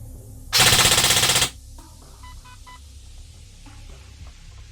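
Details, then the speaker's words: Specna Arms Prime airsoft gearbox after fitting an SHS M100 spring to cure bouncing: a tight one-second full-auto burst with rapid, evenly spaced shots and no stutter; it cycles cleanly and consistently. "You can hear some of the springiness has gone away. Much more consistent."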